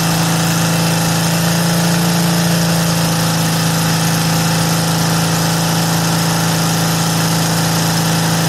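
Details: VW air-cooled flat four with Weber progressive carburetor, sat a while, fired right up after earlier trouble firing a couple cylinders at idle; steady, even idle with smooth low hum, no misses or knocks, running properly.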